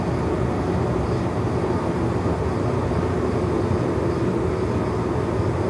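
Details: Sunfire SF 80 diesel/kerosene forced-air heater, started after fuel prime: steady even roar from burner and fan with no surging, popping or sputtering; heater running normally.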